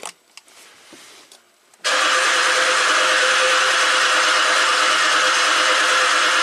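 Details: 2017 Ford Explorer V6, 106,000 miles, intermittent bank 1 misfire history, now crank no-start: steady fast starter cranking that never catches, no firing beats; exhaust cam found far advanced, jumped timing chain with cams out of phase.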